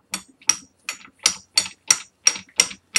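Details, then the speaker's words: GM NP246 transfer case from a Chevy Tahoe during a rebuild: a speed-sensor sprocket with slight play is rocked by hand, giving sharp metallic clacks about three a second. Otherwise no damage or wiggle was found. "this little sprocket thing was it's like probably a speed sensor because the sensor was on there that's got a little bit of play makes a little bit of the sound"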